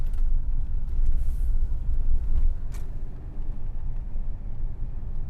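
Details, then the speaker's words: 1980 Mercedes-Benz 500 SE W126 V8, mechanical K-Jetronic, fully warm during a cooling system check with the auxiliary fan running: low, smooth, even rumble with no knocks or misses; temperature is fine. "So, it's getting nice and hot. Temperature's nice, good."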